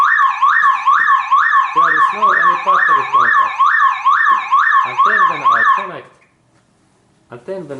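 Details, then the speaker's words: Car alarm triggered when the battery is disconnected for replacement: loud warbling siren sweeping up and down about twice a second, then cutting out; anti-theft system reacting to battery cable removal. "when I like to like replace this car's battery this alarm makes right away this this sound"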